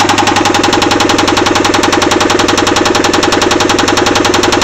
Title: Angel's Rod knock